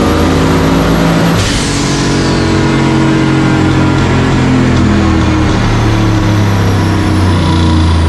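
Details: Turbo 4.8 L LS stock-bottom-end engine in a 1965 Pontiac Tempest on the chassis dyno, more wastegate spring and a little more timing: strong, even roar climbing steadily at full throttle, clean pull, 781 hp and 664.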